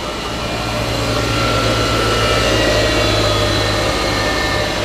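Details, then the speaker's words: Twin-turbo (GT35/TD04) Subaru Forester with quad-tip exhaust, idling about 10 minutes to cure exhaust cement gasket: heavy droning rumble with a loud raspy edge, later swapped for stock as too loud; leaking mentioned afterward; loud exhaust at idle. "so this works Kevin Jerome once day can you hear it pretty loud"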